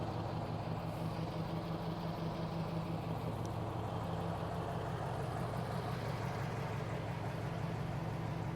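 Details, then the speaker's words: Original numbers-matching 1970 Camaro Z28 with LT1 V8 and 4-speed manual, 95,840 miles, off the road since 1980: a deep, steady V8 burble at idle with even pulses and no tapping or misses. It sounds healthy; a steering wheel bushing needs work. "Like I said, there's something in the steering wheel bushing needs to be done, but I hope how good this car sounds is coming through."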